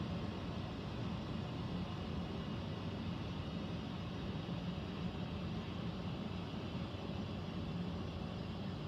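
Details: Central air conditioner air handler, heard in a bedroom and seeming to come from above the closet, gives a low continuous rushing roar with heavy bass and no clear rhythm; abnormal noise of unknown cause, possible leak questioned.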